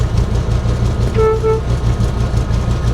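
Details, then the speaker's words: Abandoned 1980s Toyota Supra at auction, wet storm-soaked interior, first key-on: two short clear horn blasts over a steady idle; the horn kind of works. "don't know what those do but we'll turn those on the horn kind of works"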